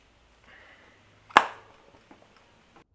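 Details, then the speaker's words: Tubeless road bike tire being mounted with levers and fingers. One sharp, loud pop in a quiet room as the bead snaps onto the rim, showing the tire is seated. "And this indicates that the tire is seated."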